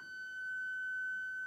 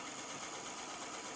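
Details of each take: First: Electric Eel Wheel 5 spinning wheel turned to very low speed and held in place gives a steady piercing high-pitched beeping tone instead of near silence, a defect. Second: Electric Eel Wheel 5 spinning wheel, not fully broken in but sanded well, running with a steady light high-pitched whir and no clicks or knocks; normal noise expected to get quieter over time.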